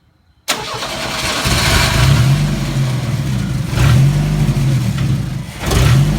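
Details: Chevrolet S10 engine catches and settles into an uneven rough idle, with speed surging and sagging on revs instead of a clean pickup; rough running and hesitation, cause unknown.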